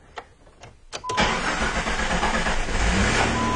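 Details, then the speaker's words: Jeep with hard start: rail pressure drops instantly at engine off, so slow cranking pulses for a longer crank before catching into steady idle; fuel pump check valve not holding pressure. "all right you see a little bit of longer crank time there but a little bit of pressure in the rail was remaining there but clearly a chuck valve problem"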